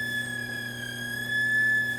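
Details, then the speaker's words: Aiwa TPR-910 stereo cassette boombox under repair, tape motor running but spindles not turning, no normal audio: steady high electronic whine warbling slightly with faint overtones from the speaker output, suggesting an oscillating audio stage. "so that's not good sounding but all right so still don't have any sound whatsoever in this machine"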